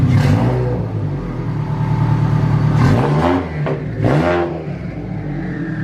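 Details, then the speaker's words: Turbo Subaru BRZ with built motor, new custom 3-inch catback exhaust, new ID1050X injectors, vented hood and open air filter, cold engine: idle then two sharp blips with a loud rising turbo whoosh following throttle. Normal, loud turbo. "Dang, that turbo's loud. That's freaking loud. The turbo, you can really hear it though."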